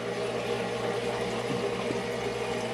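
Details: Rebuilt home electric hot-water boiler, heating elements switching on in stages with relay clicks: soft steady pump hum and faint trickle of water, no knocking or grinding; normal running.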